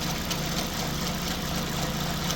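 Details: 2005 Pontiac Vibe, Toyota 1.8 engine, 250,000 miles, good compression, after sitting: steady idle with a faint, fairly regular light tick about three times a second, heard from the timing chain area; suspected timing component, not confirmed.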